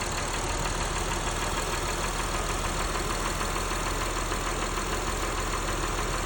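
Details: Engine at a rough, uneven idle, showing a fast, light ticking about three times a second. This is after the third oil change with Valvoline Restore & Protect and a Purolator Boss filter; cause not pinned down.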